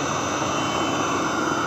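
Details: Webasto Thermo Top Z/C-D diesel water heater bench test heating about 10 litres of water, hot within about 7 minutes: steady, even roar with smooth combustion hiss, no pulsing, popping or surging; burner running normally.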